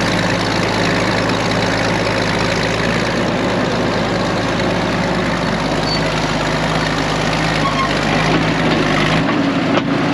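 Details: Late-1940s/early-1950s Caterpillar D6 cable dozer, a barn find revived after years in the barn, driven forward and reverse: the main diesel chugs with a steady, deep, even beat, no knocking or missing. Normal running while moving.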